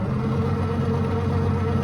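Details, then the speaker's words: 1936 Ford Deluxe Fordor sedan, original flathead V8, three-speed in neutral: steady starter cranking without firing; ignition had not been switched on, and engine needs a little gas to start. "nothing happens this engine needs a little gas to get going"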